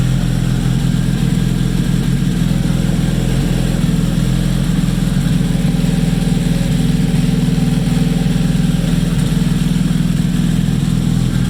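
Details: Freshly rebuilt Nissan KA24DET at first start, low idle with uneven wandering beat; owner says vacuum leak from untightened lines to the blow-off valve causing jumpy rpm; oil pressure good, no leaks seen.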